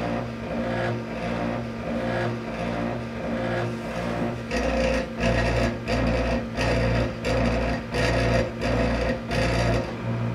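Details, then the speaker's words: Disco scanning club light with eight stepper-driven mirrors: rough buzzy whirr in bursts about every 0.7 s as head steps; one stepper much noisier, another not indexing. "so I have to explain exactly what's wrong with this unit as you can see this one's not indexing properly and this one's making a lot of noise when it's moving"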